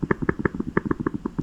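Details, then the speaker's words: Honda Odyssey pump, off the vehicle, tested by blowing and sucking through its ports: quick soft clicks about six a second as the diaphragm flexes back and forth; the pump is working. "You can hear the diaphragm like kind of clicking back and forth. It's actually flexing. So, this one actually is working."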